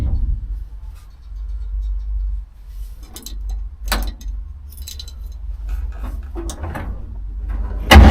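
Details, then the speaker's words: 1947 Dodge pickup cold start after carburettor work for fuel-supply and hard-starting problems: low, steady idle rumble with an even beat settling cleanly under key jangle; owner says it sounds possibly better than ever. "I think we are on the right truck thing sounds possibly better than ever"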